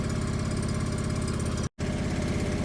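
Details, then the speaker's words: John Deere 445 garden tractor, unstarted for about 8 years, idling cold with a little smoke from being cold: a small single-cylinder engine with a steady, regular beat and no knocks or misses. Normal cold idle. "Well, that's good. That's good. Blowing a little smoke because it's cold. Nice."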